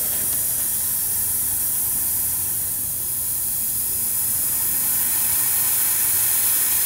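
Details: Cooling system under air pressure from a Snap-on SVTS263A air-powered tester, system dry: steady, loud hiss of escaping air without let-up from a split coolant hose; large coolant hose leak.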